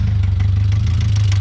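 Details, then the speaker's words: Miata four-cylinder just reassembled with new coil packs and plugs, stalling with any throttle; rough idle with a regular knock over the low rumble, which the owner believes is rod knock, unconfirmed. "this thing's got rod knocked bad that's got to be rodnock"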